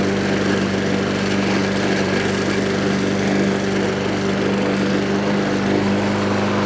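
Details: Troy-Bilt TB320 21-inch rear-wheel-drive self-propelled mower, Briggs & Stratton 725 series EX 190cc engine. Discarded and left for dead, now serviced with a spring replaced. Steady, even buzz under cutting load with no surging or misfire: normal running under load.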